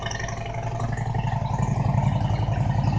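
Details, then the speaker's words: 2000 Harley-Davidson Road King Classic cold start at about 28°F; fired right up. Steady, even loping V-twin beat at cold idle, no knocks or misses, settling smoothly; healthy. "just fired her up. Man, this started right up good. It's a good runner. What a runner."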